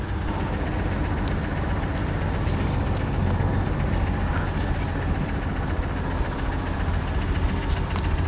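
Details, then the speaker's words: 1986 Jeep CJ7 drilling rig, fully warmed up on a humid day: the engine runs with an uneven, lumpy beat and a deep rumble and dislikes anything over half throttle. Owner suspects the carb accelerator pump isn't working and smells lean running. Unconfirmed. "she's pretty warmed up now and definitely running rough you know it's it's humid out but anything it's like the pumper's not working in the carb anything over half throttle just doesn't really like it"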